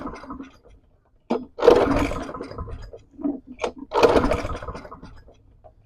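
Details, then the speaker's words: Non-running push lawn mower made July 2010, with oil in the cylinder partly blown out with air; pull-start bursts give weak sputters and a near catch but no steady running, so it cranks without starting and needs attention all round. "No real kickoff, but I think it will. So it needs some attention all the way around."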